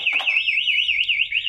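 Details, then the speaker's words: Yamaha Vixion with two-way anti-theft alarm in snatch mode: remote pressed once, engine cuts and a high, fast-warbling siren cycles about three times a second; engine won't restart; alarm triggered, engine immobilized. "Pencet ke box tutup satu kali, mesin mati dan alarm berbunyi. Putar ulang, desi nggak bisa."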